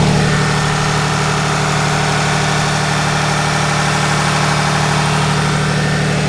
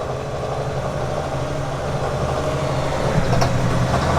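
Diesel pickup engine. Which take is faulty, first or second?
second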